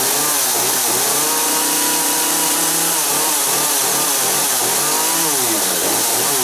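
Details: Chainsaw in for repair, test-run after work with chain brake locked, much better: crisp high two-stroke buzz revving up and down cleanly, holding idle without stumbling; healthy.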